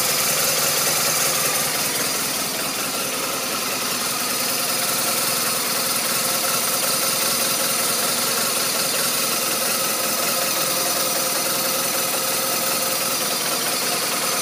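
Uneven, lumpy idle with an irregular pulse and a raspy, shaky note that never settles, pointing to a rough-running boxer twin.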